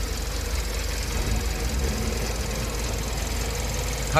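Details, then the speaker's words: 2012 Kia K7 2.4 GDI Theta II after engine boring rebuild (broken crank bearings, oil pump failure; new coils and plugs). The former gravel-like rattle and shaking seem gone. Steady, even, quiet idle with a smooth low hum and no knocking or stumble. Normal idle. "차 엔진 소음도 조용해진 것 같구요 차 떨림 2 없어진 것 같습니다 엔진 보링 완성 했구요 엔진 소리도 좋습니다"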